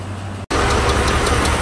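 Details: 2004 Dodge Ram 1500 4.7 L V8, low dirty oil just changed, P0522 set: uneven lumpy idle with sharp tick about four times a second from right bank; cylinder 4 misfire from cam follower spit out of number 4 exhaust, likely collapsed lifter.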